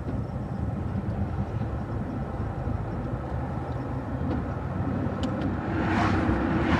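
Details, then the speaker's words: Homelite Super XL-925 82cc vintage chainsaw with governor blocked, freshly tuned, cutting wood; steady full two-stroke roar holding pitch under load, four-stroking when eased off; well tuned. "if i really dig into the wood she digs in good if i pull off just a little bit you'll hear it start four-stroking"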